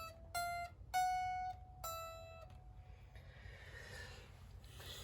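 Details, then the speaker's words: Fender Squier Affinity guitar after fret levelling, new strings and setup, B and high E strings bent; notes ring clean and sustain with no buzz or going dead; no fret buzz. "so test for benz and you can hear that the note doesn't doesn't go dead when you do a bend and there's no [Music] there's no annoying"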